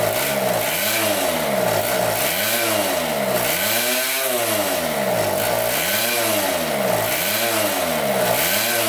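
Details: 1974 Honda Elsinore MR50, a 50cc two-stroke, hunting as revs climb and sag about every 1.5 seconds. No air leak found and re-cleaning the carb didn't help; the owner suspects the carburetor.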